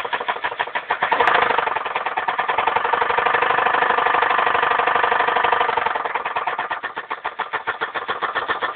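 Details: 2001 Dodge Intrepid 2.7L V6 at 78,929 miles, idling: fast steady knocking beat that swells briefly as the engine picks up; engine knock forced the car to be parked.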